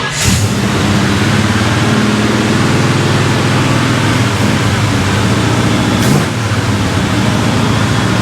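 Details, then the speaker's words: Burnt-down 1955 Chevy Bel Air with newly replaced carburetor, after adjusting an idle screw and tightening the fuel line: loud steady engine roar held high, still revved too high; no fuel leak seen; owner thinks wrong screw (curb idle) was turned. High idle. "That is still revved up too high. I don't see any fuel leaking. That is not the idle speed adjustment."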